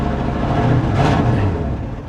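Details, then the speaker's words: 1967 Ford F100 at a Copart auction, old V8 idling: uneven, lumpy beat with a ragged, blatty exhaust note that sounds bad; runs, but roughly, cause unclear. "definitely not running topnotch but it's running it's running"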